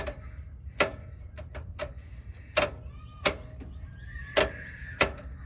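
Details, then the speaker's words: 2nd-gen Toyota Tundra (2007–2021) with a broken shifter cable. The transmission shift lever under the truck, passenger side near the catalytic converter, is pushed and pulled by hand. Pulling back gives park and pushing forward cycles the gears. The detent clicks are crisp and clean. "And so what you'll do in order to change the gears is to push and pull this particular lever. You can hear it clicking."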